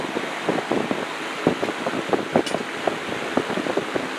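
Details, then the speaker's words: Old rusty table fan after oiling its motor, end play still present and needing thrust washers: soft airy rush with light scattered ticks, no squeal or grinding; motor running much quieter and freely. "Cool. It's quiet, but man, does it throw a lot of air."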